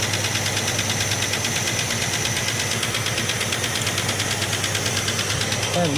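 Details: 1967 Plymouth Barracuda, loud uneven idle at about three pulses per second with a stumbling rhythm during plug-lead pull tests on the noisy side; one cylinder not firing. Distributor appears set too far out.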